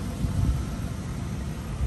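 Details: 1986 Oldsmobile Cutlass Supreme idling: low steady rumble with even beat, no rattles or ticks; nice smooth healthy idle.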